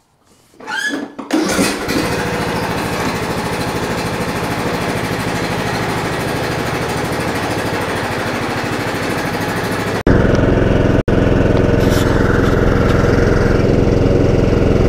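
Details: John Deere D110 lawn tractor that had a no-crank fault: brisk cranking for about a second, catches cleanly on choke and holds a steady even run; normal cranking and start.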